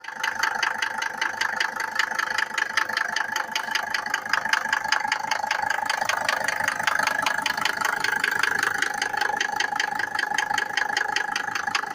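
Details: Mercedes W124 with OM602 2.5 diesel, cold: sharp, even clatter at about two and a half knocks a second over the idle; pronounced diesel knock when cold.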